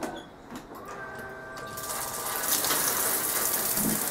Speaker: Hey, electronic ignition, no piezo.